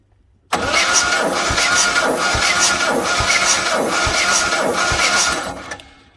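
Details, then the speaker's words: 1976 Jaguar XJ6 Series 2, sitting 10 years, cranking at an even two pulses a second before compression test; cylinders 1 and 2 read 125 and 123 psi, healthy. "okay so she's cranking fr the ignition [Music] now we'll give it a compression test"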